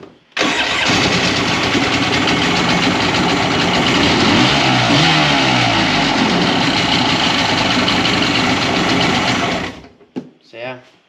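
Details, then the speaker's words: 2001 Polaris Virage 700 jetski at first start-up runs about nine seconds with an uneven, lumpy beat, unlike another 700, as if one cylinder isn't pulling; a dead cylinder (no compression) is suspected. "I'm a little concerned put the sound though didn't sound like the other 700 would you agree"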